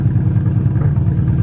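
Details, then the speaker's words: Nissan Cefiro A31 RB20DET after sitting 6–7+ years, poor compression/leak-down results, warming up after about 10–30 minutes idling: low, lumpy, blubbing idle that stumbles with bangs; rough running, cause not pinned down. "I don't like the bangs though, I don't like the bangs."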